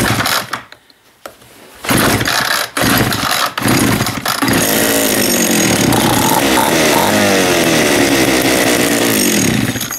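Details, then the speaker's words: John Deere EV45 chainsaw after carburetor rebuild with new diaphragm (old one was hard): a few pulls and sputters, then catches and holds a steady high buzzing run; normal running, the diaphragm was the fault. "look at that all it was was that stupid diaphragm"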